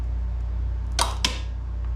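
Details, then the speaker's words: Craftsman GTS5000 lawn tractor with Kohler engine, PTO clutch bench-tested with a makeshift battery wired to its plug: two sharp clicks over a low hum as the clutch pulls in sluggishly, struggling but engaging; sticking PTO clutch. "but it seems like it's having a little bit of a hard time but it is engaging"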